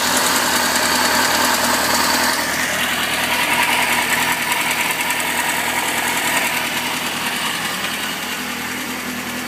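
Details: 2004 Kawasaki ZX-6R at idle: high fast whirr with regular light ticking about 3.5 per second; unexplained top-end engine noise, owner suspects the tensioner, not confirmed.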